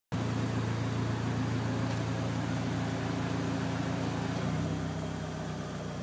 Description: Evo1 ticking noise when engine at temperature and fan disengages